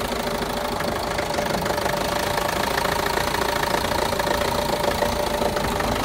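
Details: Renault Master diesel, fault code DF065 misfire: uneven idle with irregular knocking two or three per second; all four injectors and their wiring already replaced with new ones, no change, cause unknown.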